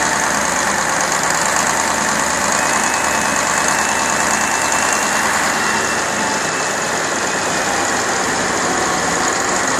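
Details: Deutz 1015 diesel after overhaul, Pucallpa, Peru: loud, steady, even clatter holding one speed with no knocks, misses or surges; healthy engine.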